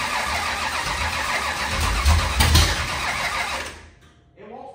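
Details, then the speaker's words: 25-year-old SBC 400 small-block V8 race engine after correcting timing and firing order, loud ragged cranking with uneven firing pulses, trying to catch but not running; crew thinks it needs more fuel. "it wants to it needs a little bit more fuel"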